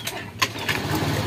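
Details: Honda Scoopy ESP fuel-injected scooter with a dead battery, running on kickstarter only; one kick and it fires straight away, then settles into a steady, even idle. Earlier it wouldn't start even after ten kicks.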